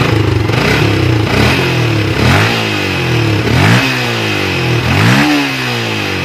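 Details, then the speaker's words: Yamaha Vixion after regulator/rectifier (kiprok) replacement cleared MIL code 46, charging at 14 V: firm idle with quick throttle blips, revs climbing and dropping cleanly, no misses or rattles; healthy. "ya kita coba hidupkan di sini untuk hilang ya untuk kode mil 46 nya hilang"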